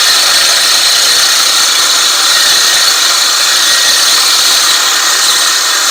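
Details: California Trimmer RL205H 20-inch 7-blade reel mower with a Honda GX120, backlapping with more 80-grit compound after the reel-to-bedknife screws were tightened. A steady, gritty, unbroken hiss shows normal lapping.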